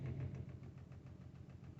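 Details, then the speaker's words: 2015 Audi A6 diesel, parked 3 years after a fully blocked DPF stopped it starting, first start after clearing codes: low, uneven, shaky idle that sounds like a misfire, with heavy smoke when revved. Cause not yet diagnosed. "okay to start it up a little bit shaky"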